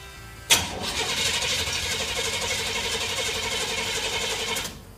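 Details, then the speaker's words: 1968 GMC truck, first start attempt in 20 years, being given gas: sharp start, then about four seconds of rough, uneven churning before dying; catches but won't keep running. "Come on. Almost. Come on. Come on. Are you giving it gas?"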